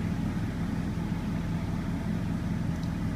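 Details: 2000 GMC Sierra Z71, newly acquired, started right after an oil change with a pre-filled filter and oil-life reset: steady, low, even rumble at a smooth settled idle, no knocks or rattles, oil pressure up; engine sounds healthy.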